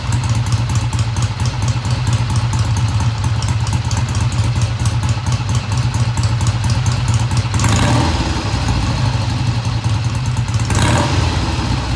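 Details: 1971 Triumph T120 twin, first cold start after cleaning pilot jets: even, steady twin thump at idle, no knocks or misses; idle fast at first then kicked down, runs smoothly and healthy, no tach fitted.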